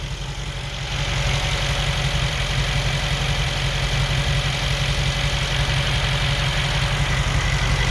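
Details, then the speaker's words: 2021 Mercedes G63 V8, 108k km, after engine repair, A/C on: steady even idle, no whine or hiss; normal idle. "now that's much better you don't hear the sound from the vacuum pump you don't hear the sound from the blow lower now you hear only the engine nice and steady"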